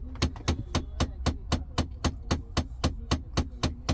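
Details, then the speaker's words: Mahindra Thar HVAC blower: with key on, a hard, even knock near four beats a second with a deep thud returns on mode change; the failed blower motor must be replaced (fuse removal only stops it temporarily). "திருப்பியும் அந்த sound வருது பாருங்க. இந்த sound வந்தா கண்டிப்பா அந்த மோட்டார change பண்ணிதான் ஆகணும்."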